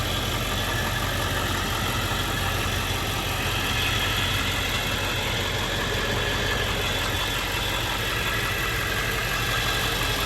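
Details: 1999 Ford F-350 Lariat Super Duty 4x4, 7.3 Powerstroke diesel, 46,385 miles: steady, even diesel clatter at idle with an unchanging level; normal healthy idle.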